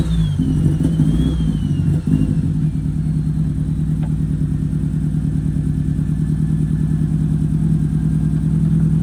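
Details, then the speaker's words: Ford Focus RS back running after oil leak repair and engine bay work, taken outside early in the year: uneven, lumpy beat with a wavering pulse that never settles, as if missing on a cylinder; cause unknown, not confirmed. "It's running really, really lumpy. I don't know why."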